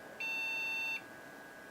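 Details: HP Pavilion a6110n desktop at power-on: long high-pitched beeps about three-quarters of a second each, repeating, a startup error code that research suggests is a memory problem; installed PC2 RAM possibly too fast, downgraded to 1 GB.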